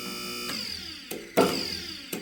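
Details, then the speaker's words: Budget Chinese two-post lift filled with AW32 hydraulic fluid. Safety locks click one after the other over the pump hum instead of together because one side sits minutely lower. Fix would be a plate underneath to raise that side. "It's off by such a minor amount that even when I try to just barely touch this, this one locks and then this one locks like almost immediately after."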